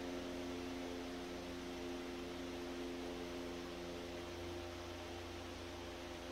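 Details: Century S-3 Model 15 skeletal frame desk fan, over 100 years old and restored after many issues, running on speed 3 after high (likely about 110 volts) and speed 2; steady even hum, soft motor tones, smooth airy rush, no rubbing or rattle; healthy normal running.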